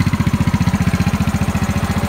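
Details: Yamaha Mio Sporty scooter after replacing worn rear CVT bearings that caused crackling at high rpm; steady even low thump at idle, about twelve beats a second, no rattle or crackle, running clean.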